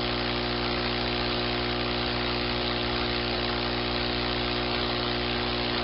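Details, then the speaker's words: Personal cushion lift air pump deflating the cushion back to flat: steady, even buzzing hum at constant pitch with no knocks or surges, pump drawing air normally. Its note changes once the cushion is empty. "so with the pump you continue you continue sucking the air out of the cushion until it's back to a flat position again"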